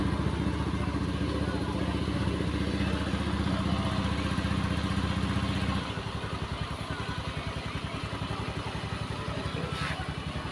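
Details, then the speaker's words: Honda Beat eSP scooter, which had smoked with a wet exhaust and rough engine noise, after replacing the cylinder block and piston: even, steady single-cylinder putter at idle with no knocks or rattles; normal idle, smoke gone. "Mesin halus. Tadi yang ngebul."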